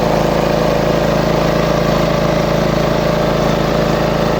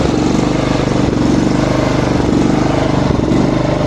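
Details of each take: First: Small lawn mower engine after repair of RPM surging at idle, reassembled with filter back on: even steady drone with no rising and falling revs; healthy idle. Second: Small lawn mower engine running with a steady beat but speed that drifts and jumps; surging idle.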